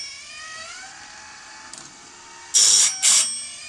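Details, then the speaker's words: Woodland Mills RS30 Pro sawmill blade sharpener on high speed, head lowered toward the gullet: steady high motor whine with two short bright grinding bursts as the wheel meets each tooth; sharpening normally. "That sound pretty good. Then you can just switch to high r high speed and it goes a little faster."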